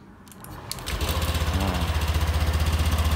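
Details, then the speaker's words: Honda Scoopy scooter (2023 or 2024), fuel pump earlier not humming, fuel pressure now normal at 40: starter whirs, engine catches within a second and settles to a steady, even idle; normal start. "Oke. Enak kan? Suaranya pun enak."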